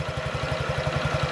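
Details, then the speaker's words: 2017 Honda Ruckus NPS50 50cc four-stroke scooter, tachometer about 1160 rpm: slow loping idle around ten pulses a second that sags as if about to stall; idle speed set too low. "it sounds like it's about to die right now I don't know why it's going down so low that just got to 11.60"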